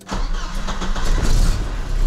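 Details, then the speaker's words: Volvo 740 (1989) petrol engine started right after fuel pump replacement: catches at once and settles to a steady, even 800 rpm idle, no crackle, grinding or whine from the new pump; healthy start. "всё отлично Всё насоса не слышно Ну в плане он не трещит всё работает 800 оборотов отлично"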